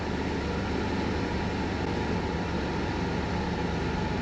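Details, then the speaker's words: Idling stationary in a V6-converted L300 with a new Aeroflow brushless thermo fan: the fan kicks in at 89–90°, giving a constant airy whoosh over a steady idle. Cooling fan operating normally. "Hopefully, the fan turned off where last time the fan never ever turned off. 90°. Can definitely hear that the fan's on."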